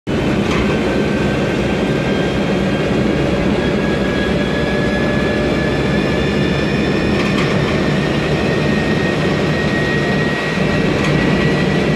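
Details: 2007 MAN Lion's Classic CNG city bus, MAN E2876 LUH03 turbo engine, Voith DIWA 864.3 4-speed automatic, number 07-590 (formerly 07-189): over road and cabin rumble, a thin whine climbs in pitch with speed, pointing to a noisy gearbox.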